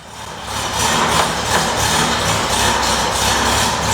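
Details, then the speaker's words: Stock VW air-cooled engine on the dyno with 1.40 ratio rocker arms (versus stock 1.1 and 1.25): low uneven loping idle around three pulses a second, rising and falling slightly; lopey idle from the high-ratio rocker setup. "Can you hear it just moping? Oh yeah. Yeah, it's that monster."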